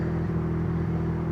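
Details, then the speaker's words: Mercedes C63 AMG at auction with every dash light on: engine runs steadily but the beat sags unevenly about every third of a second; rough running, cause not pinned down. "it runs boy she's got a lot of air goo man oh she's not running good either"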